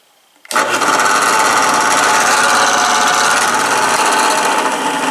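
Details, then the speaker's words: Delta 8-inch bench drill press, 1/4 HP 115 V 60 Hz 5 A induction motor, belt on, middle speed 1720 RPM: motor snaps on and holds a steady even hum with smooth belt whir, no rubbing or knocking; normal running. "all right i got the belt on it is on 17 20 rpm which is the middle speed"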